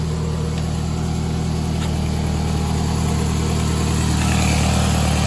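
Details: 2004 Toyota Camry after a transmission swap to a junkyard transmission, allegedly 162,000 miles; steady, even low idle with a smooth hum and no knocks, misses or grinding, engine healthy at rest.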